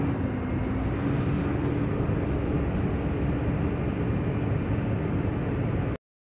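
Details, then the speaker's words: Tata BS6 phase 2 Cummins diesel, no fault code, revs stuck around 600–1000 rpm: steady low idle that barely rises with throttle; fuel starvation from a completely kinked fuel line. "अब, जब हम racing करने की कोशिश करते हैं , तो RPM थोड़ा बढ़ता है, लेकिन पाइपलाइन में मोड़ दिखाई देगा। आप देख सकते हैं कि यह पूरी तरह से मुड़ा हुआ है।"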